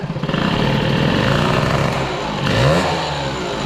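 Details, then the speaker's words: Peugeot 103 with Airsal 65 cylinder, mixture screw closed yet still very rich, carb jets unknown after scavenging; small two-stroke bogs and burbles on each throttle blip instead of revving crisply; rich mixture. "je sais plus tout ce qui est en réglage en tout cas là on avise de richesse fermée et ça s'enrichit encore"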